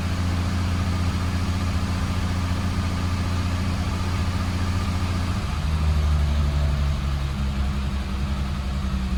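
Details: 1987 BMW E30 325iS first start with M20B27 SuperETA 2.7 and standard 15-lb injectors, new ANSA sport exhaust: low uneven loping idle barely holding; owner unsure if AFM vacuum leak or undersized injectors.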